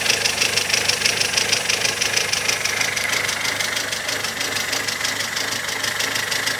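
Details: Mazda 626 idling, listened to from underneath: steady sharp ticking about three per second over a smooth idle; strange ticking, possibly a hydraulic lifter, not confirmed; oil-like moisture between engine and gearbox.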